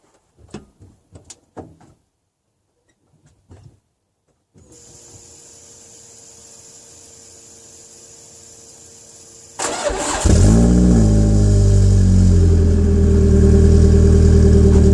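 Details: 2004 Peugeot 807 SR 2.0 petrol, EW10J4 RFN engine, rear silencer removed: cold start cranks, catches and settles into a loud, uneven, lumpy idle that begins improving at the end; owner attributes it to tight valve lifters.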